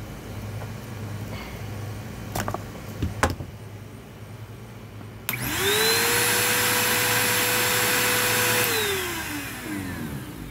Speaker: Other than that, it works just fine. Motor sounds healthy. Brush roll spins fine.